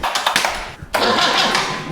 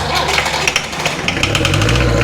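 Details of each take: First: Land Rover 2.25 diesel fitted in a Santana chassis, in neutral: starter spins briefly, pauses, then cranks again without catching; air trapped in the fuel system, injectors cracked to bleed it. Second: Land Rover 2.25 diesel in a Santana chassis, fuel filters bypassed: steady, even clatter at idle with no misfire or hunting, running cleanly on its own fuel.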